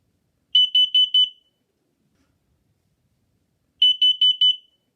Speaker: That being said, a carbon monoxide alarm sound sounds like this.